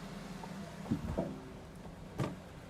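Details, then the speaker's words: 2023 Subaru BRZ after installing new coilovers, rolling slowly out of the garage: dull low suspension thumps, three in under three seconds; clunk persists after retightening collar, owner suspects install error or defective coilovers. "there's the clunk I don't even have to drive down to the freaking shops yep still there"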